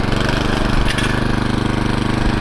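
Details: TroyBilt 18-inch Mustang tiller after replacing the broken drivebelt with an A57 belt, tested in forward then reverse: steady mid-pitched engine chug, even beat, no slipping squeal or clatter; drive smooth and healthy.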